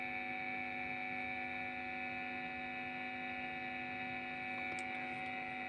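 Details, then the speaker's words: TP-Link guitar-effect power adaptor (9.17 V output at 193 V mains) plugged into a pedal, constant low buzz with steady higher tones; pressing down reduces the noise; mains hum from a noisy adaptor, measured min 36, avg 51, max 53 dB. "Ini bunyi loh. Ya, bunyi ya. Kalau kita tekan gini, noise-nya akan berkurang seperti yang saya terangkan di awal tadi."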